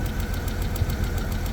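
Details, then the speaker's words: 1991 BMW 750iL, first start after storage: a low idle rumble with a regular stumble and an odd noise near the mass airflow sensor, with no check engine light. Engine misfire at idle; owner still has to check for vacuum leaks and spark plugs. "Well, it fired right up. Got a miss. Had a really weird noise going on from like the mass airflow."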